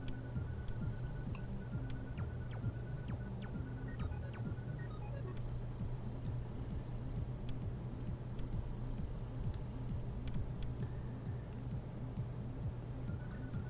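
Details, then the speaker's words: Nikon D80 with shutter Err fault, aperture control unit motor after replacing split gear: soft even whirring with low hum and light regular ticking, gears spinning smoothly; normal motor running. "Yeah, this one fits on there way more snugly, so that is a good sign. All the gears are spinning, it looks like."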